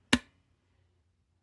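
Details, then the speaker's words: Original NES cartridge tray pushed down too hard: one sharp bright snap then a faint soft tap as the metal pin jumps over the plastic guide, before the guide was extended. "that little metal tab there goes over the plastic. It still works. It's clicking over there too. But it's just creates that horrible clicky sound when you like push down too hard."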